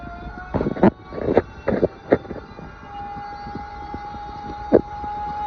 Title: The toilet, making noise like a sander or a fire engine